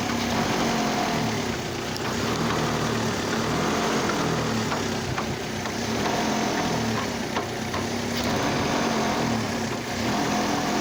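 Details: Oldsmobile Alero with a cylinder misfire: rough, uneven engine note with loose irregular tapping, seemingly from the radiator area, plus intense engine vibration on light acceleration and revs; cause not confirmed.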